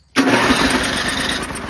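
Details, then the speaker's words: Old Toro 824 Power Throw snow blower, 8 hp Tecumseh engine, bought non-running, old gas drained and inline filter added, long stored: after priming, starts almost instantly on electric start and settles into a busy, even run. "look at all that dust flying out really impressed on how that ran"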